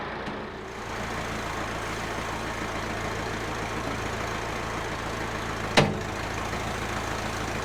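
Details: Massey Ferguson 50HX 4WD backhoe loader with 4-cylinder Perkins diesel, after reconnecting the hydraulic pump to the engine: steady low drone under hydraulic load with one sharp knock near the end; runs smoothly while arm cylinders leak.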